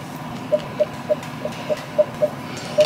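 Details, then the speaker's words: Sony ZV-1 vlogging camera: eight short, soft mid-pitched beeps, about three a second, over quiet room hiss as the camera refocuses when zooming or when products are shown; an annoying autofocus beep picked up in the footage. "so whenever i go like this like when i like zoom in there will be this beeping sound it's somewhat subtle"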